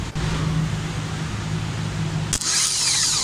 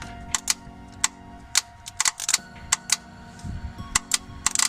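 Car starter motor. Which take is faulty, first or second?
second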